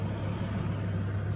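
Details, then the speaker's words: 2002 Ford F350 V10 with over 200,000 miles, after an AC compressor pulley and bearing replacement. Steady, even idle while the AC clutch clicks on and off, cycling. The clutch air gap is still to be checked against 18–30 thousandths. "and now I hear it clicking on, clicking off, clicking on, clicking off, just cycling."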